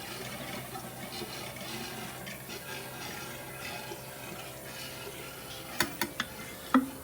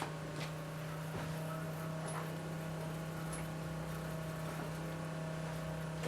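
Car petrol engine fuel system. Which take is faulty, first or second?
first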